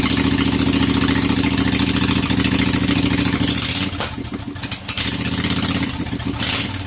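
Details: Briggs & Stratton Intek 18.5hp V-twin, traded-in engine, fuel solenoid removed, throttle/governor zip-tied, little gas added: steady even beat for a few seconds, then rpm drops and roughens as it's killed; running normally.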